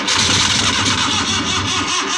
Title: hard starting suzuki f6a